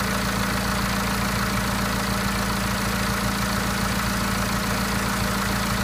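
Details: BMW N47 diesel at idle, 10,000 km after the timing chain and intake were replaced. An uneven, loose knocking about twice a second runs under the idle clatter. Engine noise at idle, cause unconfirmed.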